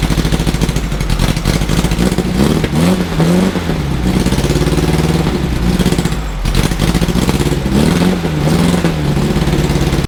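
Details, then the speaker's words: 1600cc VW engine in a dune buggy sand rail, after a tune-up with new points (gap .016): uneven, lumpy running with revs surging and sagging under blips. The tune-up did not fix it; the carburetor idle jets were plugged and it was rebuilt. "now that was a big surprise it didn't fix the problem guess what it was it was this sucker right here the carburetor was plugged up the idle Jets were plugged up"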